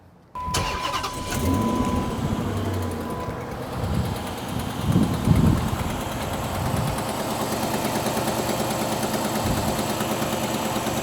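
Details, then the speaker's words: 2006 Chrysler 300C V8 with 165,000 miles at cold start, oil checked clean: cranks, catches and settles to a fast idle with a sharp, rapid diesel-like ticking clatter; an exhaust leak is suspected, not confirmed. "Sounds like a damn diesel. Damn. I bet you it'll clean up if I rev it a little bit. I mean, it's still there, but I think it's an exhaust leak."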